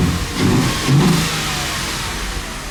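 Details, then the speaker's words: Audi engine just reinstalled after the car sat 2 years, oil topped up after low oil pressure on first start, no coolant yet: starts right up, climbs cleanly through two quick blips, then a smooth even idle with no knocks or rattles; normal revving. "It starts right up and it sounds really good. Revs really nice, but I need to make sure there's any vacuum leaks, stuff like that, once I get coolant in it"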